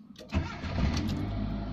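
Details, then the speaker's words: Proton Waja MMC automatic after the faulty TPS was replaced with an original half-cut unit set to 664 mV and the idle reset. Warm start at over 80° temperature: it catches first try, revs flare briefly, then settle to a smooth idle. Normal warm start. "First kick dia akan naik dulu, lepas tu dia akan turun balik. Kalau tengah cold start kan, dia akan naik, tahan dekat atas dulu sampai optimum temperature, baru dia drop balik. Sebab sekarang dia more than 80 dah, so dia sudah optimum temperature ni."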